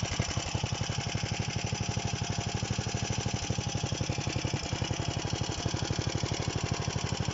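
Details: DM-1 single-cylinder engine after a major overhaul: crisp, even firing pulses at steady speed, no knocks or rattles; runs healthy.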